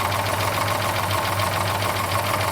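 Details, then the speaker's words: 1972 Plymouth Duster V8 race car at idle after the timing was found way off and advanced, with 60 lb oil pressure: fast, light ticking over the rumbling idle; owner suspects the rockers need adjusting, valvetrain tick not confirmed. "that sounds like rockers I think I need to go through and adjust them all"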